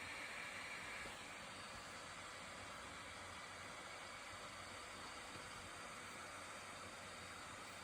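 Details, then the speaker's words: 2020 13-inch MacBook Pro base model, just launching Premiere Pro: steady airy rushing hiss of hot air from the underside, no tone changes; fan loud enough to draw looks in a library despite light load. "도서관 같은 데서 사용하시기에는 조금 눈치가 보일 정도의 소음이라고 생각을 해요."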